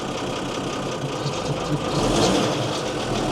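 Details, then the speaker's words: Mercedes-Benz 911 4WD diesel truck sat about 8-14 years, fuel system bled: fires after a couple of presses and settles into an even steady idle, no knocks or misses, oil pressure present. "Couple of presses of that bloody thing and away she went. That's unbelievable."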